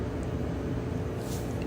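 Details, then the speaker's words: Whirlpool dryer after belt replacement, lint filter back in, door switch pressed: low, even rumble of the drum turning with no squeal, slap or scrape; normal drum rotation, belt drive working. "A dryer that's spinning now. The belt has been replaced and"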